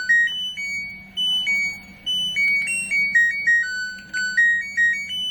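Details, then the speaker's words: LG Smart Inverter front-load washing machine module after short-circuit repair (tripped kWh meter); 12 V rail steady at 11.91 V; power button now works, playing a clear melody of bright beeps at steady volume—normal power chime. "Nah, dengan pemasangan gacun tersebut untuk modul mesin cuci ini sudah normal kembali. Untuk tombol power on off sudah bisa."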